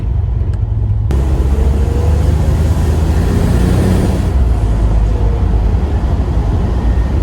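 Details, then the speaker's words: 1984 Buick Grand National Astroroof turbo engine under acceleration around 80% throttle: deep loud pull with rising rush as boost builds to 12-13 psi, instant spool, wastegate flutter; healthy turbo boost. "Even in low throttle conditions, I can hear the spool up even more. It's instantly responsive. I can hear the wastegate flutter."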